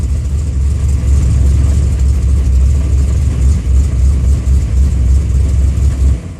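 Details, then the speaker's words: Car with a FAST fuel injection system, ECU on the fender, warmed up; starts fine but floods once warm; O2 correction stuck at zero; engine blubbers unevenly and won't take gas when throttle opened; stumble on throttle, cause unconfirmed. "it's still flooding zero count still and it's still trying to flood on me [Music] that's way off now I'm gonna try to correct it foreign [Music] and it's still flooding give a little gas and it won't take it"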